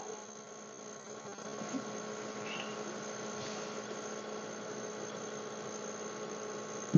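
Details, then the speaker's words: Three-year-old Edgestar cooler that had stopped cooling and went silent, microphone placed close to the unit: after the relay clicks, a quiet, steady low hum with no clicking or rattling as the compressor starts and runs normally; the starting relay was the culprit. "yeah yeah I feel the condenser going and yeah there you go that's what it was that relay right there"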